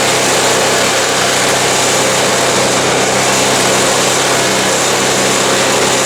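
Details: Cheap MTD snow blower small engine with governor issues: loud, steady high-pitched drone with no dips or hunting, running well above normal speed; governor spring set too high and needs tuning down.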